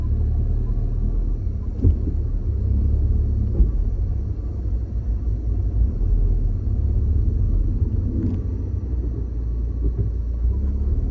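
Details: Mini Countryman while driving: low road rumble with occasional sharp knocks every couple of seconds from the rear; cause not identified.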